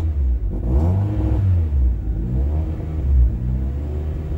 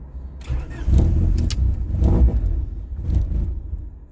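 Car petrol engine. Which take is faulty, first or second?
second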